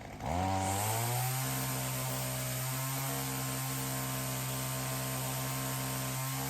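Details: Ryobi CS30 two-stroke trimmer with new aftermarket HiPA carburettor; catches and settles into steady even crisp throaty buzz, no misses or surging, healthier than with old carb; normal running.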